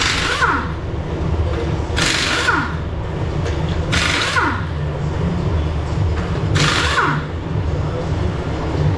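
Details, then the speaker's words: 1998 BMW Z3 convertible top that doesn't work: the top pump motor clunks like a bad starter about every two seconds, whirring in between, yet the top does not move. Suspected pump fault or a hydraulic leak, not confirmed. "clicking noise i was hearing was the motor spinning it actually goes clunking and spins and nothing happens so it's either got a problem with the pump itself or something's leaking"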